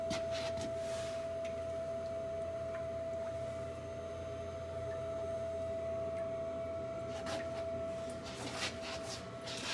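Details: Navien NHB110 gas boiler, installed January 2020: loud, steady high pure-tone whine over low running hum since installation; contractors disagree, one blaming fuel mixture, another water flow.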